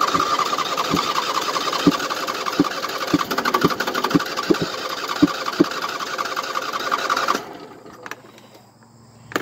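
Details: 2007 Husqvarna YTH2454 riding mower, just hosed down with wires wet, choke off: long cranking with sharp puffs about every half second that never catch; owner says it always hard-starts when wet; hard starting, long cranking.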